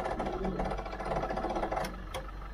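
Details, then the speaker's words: 1965 Ford 3000 diesel tractor that has sat about 10 years, cranked on a weak battery with jump leads throwing sparks. The starter drags the engine over with a slow, labored chug, then stops, too lazy to fire. "lots of Sparks off the Jump leads but she did crank over so I'm gonna re-attach those jump leads and try again I'll jiggle those jump leads a bit actually still on the battery let's see what happens so it's turning over just very lazily"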